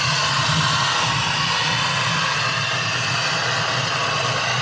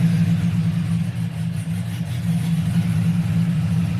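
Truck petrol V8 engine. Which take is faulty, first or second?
first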